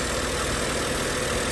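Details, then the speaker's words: 2010 BMW 535i turbo engine just after starter motor replacement and battery reconnection, warming up after first start: steady idle with a dense gravelly rattle over the low rumble; owner unsure of cause, possibly vibration rattle before settling. "so I just let it warm up a little bit I'm gonna do a little bit of cleaning well what can I say it's running it's noise though"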